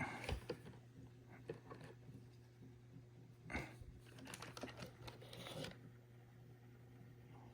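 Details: Launch edition Ecovacs Deebot X1 running with brushes and mopping pads removed after brushes were changed: a loud, harsh, irregular ratcheting clatter over the motor hum, source inside the drive. Cause not identified.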